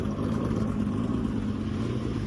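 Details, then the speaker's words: J-swapped AWD 8th-gen Honda Civic idling after coolant lines were run and the coolant bled, engine temperature steady, radiator fans on: quiet, steady low hum with fans whirring, nothing abnormal; normal idle. "radiator fans are on. I don't know if you can hear it."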